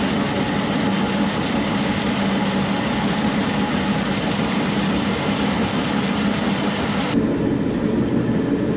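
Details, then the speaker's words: SIPMA roller grain crusher after a DIY repair welding short bead pieces onto a roller, with the gap adjusted: loud, steady rumbling grind with an even drone, no knocks or surges. It mills corn fast, with rollers perhaps slightly too tight; corn comes out nicely broken. "dobra rzetelne podsumowanie idzie jak pieron ale tu miałem za bardzo jeszcze walce dociągnięcie pięknie połamana kukurydza"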